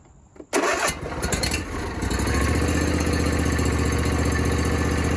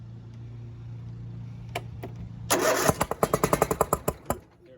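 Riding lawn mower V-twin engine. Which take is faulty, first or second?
second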